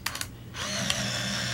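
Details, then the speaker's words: Olympus Infinity Stylus Zoom 140 35mm point-and-shoot with a scrap roll just loaded and switched on: two or three light clicks, then a steady high winder whir as it advances to frame 1 while lens and flash come up; normal film advance. "it advanced to film position 1. The flash came up and the lens came up."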